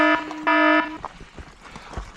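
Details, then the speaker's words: Senada Saber Pro e-bike on a steep Cajon Pass climb under hard pedal-assist load: two short high beeps then a longer tone, the motor's overheat warning calling for a cool-down break. "That's the sound of the motor telling you it needs a brake."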